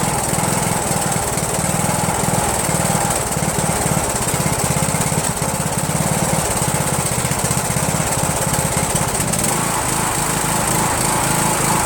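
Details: Rebuilt Briggs & Stratton 17.5HP engine (replaced two broken balancer counterweight links) repowering a Yard Machines lawn tractor, first start on choke, no belt pulley: busy, uneven beat with rough rasp, no steady note; owner suspects carburetor, needs tuning.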